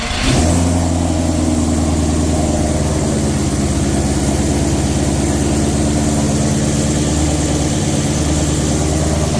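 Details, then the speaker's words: 1300hp twin-turbo Mustang fired up just after fitting new On3 Performance replacement turbos: engine catches and settles into a steady, deep, even idle with a light blip, no rattles or whistles. Running healthy. "So that's it guys, gonna close this video out. Turbos are on, she's running, everything looking good."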